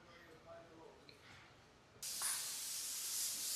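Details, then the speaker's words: Lorry: quiet, then a sudden, loud, steady hiss of escaping air from a faulty air brake valve; the air valve is to be replaced. "അപ്പൊ നമ്മുടെ വണ്ടിയുടെ ആ valve complaint അതാ ഈ sound കേൾക്കുന്നത്"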